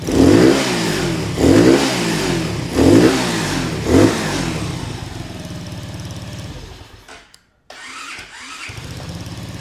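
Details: Honda CT70 clone, 127cc single, 38 miles, just started on first kick with choke on: four quick, crisp throttle blips about a second apart, then a steady idle; revs freely, snappy and healthy.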